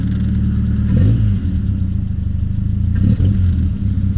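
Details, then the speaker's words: 1978 Triumph Spitfire, warmed up, intermittently stalling, popping and losing power: revs unevenly, bogging and dipping when throttle is stabbed; owner suspects lean condition, too much air and not enough fuel, possibly a vacuum leak, unconfirmed. "you hear how it's kind of revving weird. Going, oh, something's going on. If I stab it, I think that's a classic sign of not getting enough fuel. Too much air."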